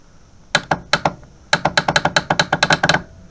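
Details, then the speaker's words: Suzuki Intruder VS800 with a new battery, stored unused since September, no crank. Wire jumped to the starter feed. Sharp dry clicks in quick bursts, about five a second, no cranking; test light shows nothing coming through: sticking or faulty starter solenoid. "yeah let's clicking but I don't think there's anything coming through that let's have a look hold a test light on there I've got nothing coming through there nothing it looks like we've got a faulty solenoid as well"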